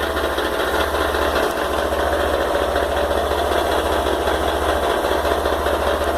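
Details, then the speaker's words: Honda XRE 190 motorcycle, new model about 2 months old, loud busy idle right after start with rough mechanical clatter about two beats a second over deep thrum; owner believes engine problem though dealer says normal. "olha o barulho que ela tá fazendo quando você liga ela. E na Honda os caras vêm me falar que esse barulho é normal. Nem fudendo, essa moto tá com problema no motor."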